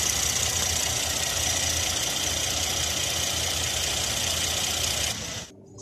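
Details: Car engine at idle: an uneven, loose knocking beat near four per second under hissy background, the stumble of a suspected misfiring cylinder. The misfire is diagnosed with a scan tool's misfire counters and power balance test.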